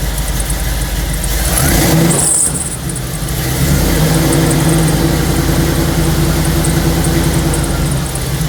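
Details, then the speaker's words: 1962 Corvette with 1963 Latham supercharger, idling just after a cold start following about 3 weeks unused: steady, fairly even low rumble with a slightly lumpy fast beat and a brief dip early on; normal cold idle. "Here's a cold start video on the 62 Corvette with a 63 Latham Supercharger."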